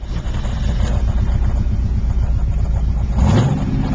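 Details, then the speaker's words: 1978 Pontiac Trans Am, 350 V8 with blower, aftermarket exhaust, stick shift racing transmission, project car: steady low pulsing as it cranks, then catches and rises into a clean, solid rumble; starts readily and idles healthy, no known knocks. "good at starting right up. Hear it rumble. Got a nice solid sound to it."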